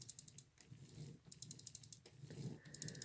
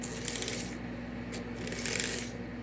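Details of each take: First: Marx 999 toy train motor after brushes were cleaned with alcohol and refitted (springs not cleaned): quick light clicking about ten times a second over a faint hum, as the brushes have yet to seat on the commutator; brush clicking. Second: Marx 999 toy locomotive from a train set under restoration, test run on track: steady low whir with light metallic track rattle, smooth and even, drawing less than six volts; low power draw, normal running.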